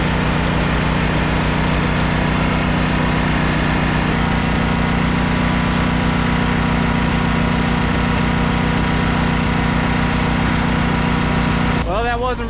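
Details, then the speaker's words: Engine jump-started with starting fluid and fresh gas added, then runs with a steady, even low chug of about three beats a second, no misses or knocks; healthy settled running. "Was able to jump it, put some juice to it, a little bit of starting fluid, and start it up."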